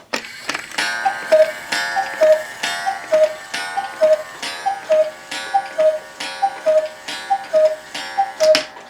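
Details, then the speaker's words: One-day cuckoo clock (owl and grapes) with rack and snail striking, quieter than another clock. Clean, bright strikes land evenly about once a second with no drag or stumble: healthy striking. "While you're striking. It's much quieter than the other one, which is loud. And of course, it uses whack and snail striking, so it's safe to turn back."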